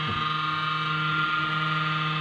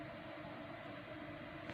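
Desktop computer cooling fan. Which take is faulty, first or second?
first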